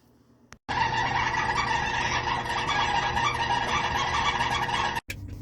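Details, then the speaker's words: GE dryer running with loud, harsh steady squealing from the belt idler pulley (tensioner), which barely spins because of its cheap sleeve bearing; fixed by replacing the idler pulley assembly, part WG04A03906. "so if you have a g dryer and a couple other brands use the same system they use this roller because your belt tension and makes a crazy squeaking sound"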